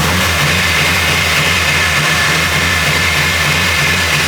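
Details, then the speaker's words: Nissan Silvia S14 SR20DE with newly fitted turbo (stock DET manifold, GT2860RS), first startup: steady even drone that never climbs in pitch; engine won't rev past about 3000 rpm, no turbo noise heard, quieter than before. "You can't get past like 3 grand, so you can't even hear it, but so far, I think it did quiet down quite a bit."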